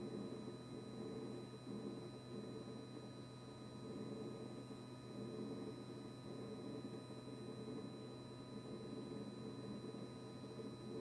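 A steady, unbroken electrical buzz with a low hum that never cycles off; the fridge compressor is buzzing constantly.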